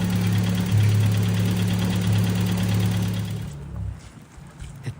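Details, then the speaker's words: Nissan Figaro after an exhaust manifold change: deep idle with a regular puffing pulse of about 210 per minute, then it shuts off; exhaust blow somewhere at the centre silencer box. "Unfortunately, not sounding very happy. Yeah, let's drift a bit cooling. There's a blow somewhere in the centre box, but"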